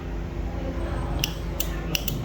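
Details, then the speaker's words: 12 V 15 A T-type relay tested by touching it to a 12 V battery: four crisp, loud snaps in under a second as it pulls in firmly each time; a loud click means the relay is good. "यह देखिए जोर से आवाज आएगी आपको। अगर ये जोर से आवाज आ रही है तो सही है। ठीक है?"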